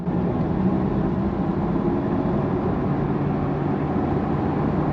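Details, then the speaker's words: Car driving on the road, heard from inside the cabin: a steady low droning hum under road noise from a front right wheel bearing that failed after damaged suspension was driven on for about a week. "That's wheel bearing, baby. The front right wheel bearing."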